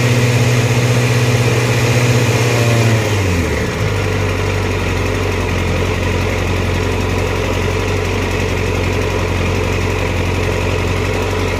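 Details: Hunting idle: the engine speed holds high for a few seconds, then sags sharply and settles lower. Unsteady idle, cause not evident.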